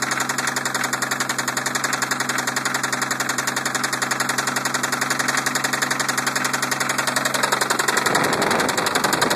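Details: 1990 Toyota Supra turbo, 5-speed: running petrol engine with a steady, sharp knock repeating about four times a second, engine knocking.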